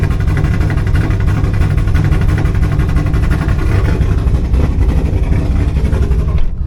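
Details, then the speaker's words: Camaro V8 with a hot start issue, after adding a ground wire: starter turns it over sluggishly with slow, uneven compression beats for several seconds before it catches; tachometer now works and service stabilitrak message gone, still a slow start. "the good news is my tachometer is working the service to build a track is gone that was still kind of a slow start"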